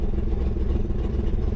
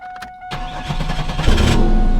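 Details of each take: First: 1999 Chevrolet Camaro running with the fuel pump relay out and both fuel lines off, fuel gauge reading zero. Rough, lumpy, uneven low rumble with loose clatter. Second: Chevrolet Camaro after replacing the fuel pump relay: chime, brief crank, then fires at once and builds to a strong, steady idle; starting and running normally, fixed.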